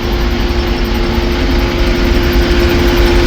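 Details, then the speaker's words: Vintage Ford truck (1956 F100 / 1966 F350 dump truck trip) on a long highway drive: constant mid-pitch whine over heavy drivetrain rumble, fine under 55 mph, massive howl above, gone with clutch pushed in; owner unsure if transmission or driveline. "it's not terrible if you keep her under 55, but there is a massive howl if you get her up a little higher. And goes away with the clutch being pushed in."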